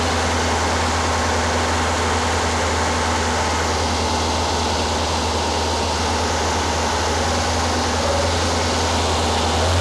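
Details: Rebuilt Porsche 912 flat-four in a 911: high, even idle with hard, busy edge; running fast and a little smoky, possible oil leak; over 35 degrees max advance at only 2500–3000 rpm; over-advanced timing, fast idle.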